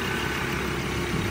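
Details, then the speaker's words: Japanese 3.2-litre common-rail diesel at auction, shifted to neutral and four-high: steady, even idle with a smooth low rumble and no knocks, ticks or misses; sounds healthy. "well she goes in the gear I don't know what that does but she sounds alright"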